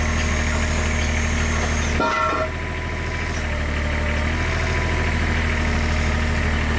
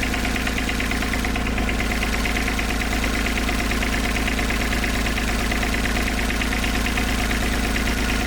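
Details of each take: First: IHI 28J mini excavator, Isuzu 3LB1 diesel, after replacing injector pump O-rings that leaked diesel into the crankcase: injector line tightened and the engine picks up to a steady, even idle with every cylinder firing, successful fix. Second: IHI 28J mini excavator, Isuzu 3LB1 three-cylinder diesel, after injector line reinstalled loose to bleed air: uneven lumpy idle about two pulses a second, one cylinder dead from air in its injector line; picks up once bled and tightened.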